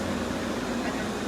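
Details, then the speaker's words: 1986 Friedrich Quietmaster 19,000 BTU refurbished window AC with an 18k rotary compressor. Steady, even hum with a soft airy rush and no rattles; the rotary compressor is running normally after settling. "okay now compressor has settled and now you can really hear this nicely the 18k rotary"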